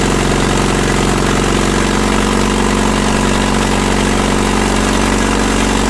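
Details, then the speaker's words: Caterpillar D2 (#5J1113) diesel at low idle on first start after full pony motor and diesel rebuilds: deep steady chug at a slow even idle, hitting on all four cylinders with no misses or knocks; a healthy, good low idle. "i think it's hitting on all fours it sounds pretty smooth it runs"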